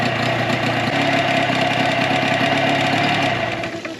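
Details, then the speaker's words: 2004 Tohatsu 9.8 two-stroke long-shaft outboard after rebuild: steady, slightly uneven mid-pitched buzzing idle, no knock; kill switch works, restarts every time, running excellent; normal idle. "Kill switch works. Motor starts right up every time. So now we know the kill switch works as well. Okay guys, so the motor's been running really excellent."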